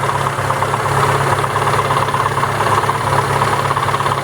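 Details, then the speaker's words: ZAZ Lanos with MeMZ 317 1.4 engine after head repair (head knock, no oil pressure): runs much quieter but dull uneven knock about three per second remains at idle, localized to clutch housing; knock at idle. "ну приятен намного тише стал работать но все равно какой-то глухой стук есть"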